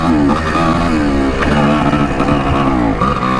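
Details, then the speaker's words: 1984 Yamaha IT200 two-stroke dirt bike, ridden after an earlier air leak was patched with gasket maker: revs unevenly, pitch dipping and surging as it bogs. Rider suspects an air leak or fuel starvation, which it was not doing before. "not getting fuel or something wasn't doing this before feels like we're running out of fuel definitely an air leak"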